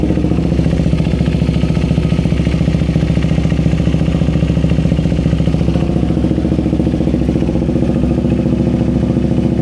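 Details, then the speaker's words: KTM Duke 390 V2 after stuck fuel pump was tapped and resumed priming: starts and idles with a steady, even thump, no stumbles or odd knocks, check-engine light seen; normal idle. "Okay na yan. Naandar na. So yung problema lang is yung kanyang fuel pump."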